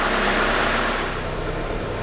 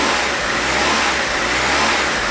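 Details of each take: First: 1992 Mitsubishi Galant VR-4 after vacuum leak fix and idle screw adjustment, around 1000 rpm: smooth, even idle with no surging and a steady rpm needle; idle surge resolved. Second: 1992 Mitsubishi Galant VR-4 at idle, rising and falling about once a second instead of holding steady, after fixing the screw vacuum leak and reinstalling intercooler pipe; idle surge persists, cause still unknown.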